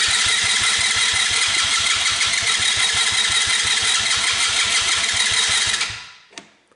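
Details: Tao Motors mini quad that wouldn't start, dead battery, cranked on jump pack with key and brake on; steady rapid pulsing about three and a half beats a second, then cuts off cleanly; cranks and fires normally.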